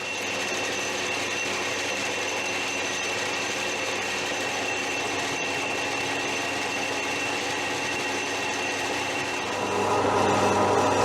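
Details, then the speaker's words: Machining the right-hand rear wheel spacer for an 18-inch spoked wheel conversion on a 2008 Suzuki DL650 V-Strom. Steady whir with a regular tick about four times a second; the tone shifts and grows louder as the cut breaks through. Normal. "that sound changing. It's nearly there. Ooh, there she goes."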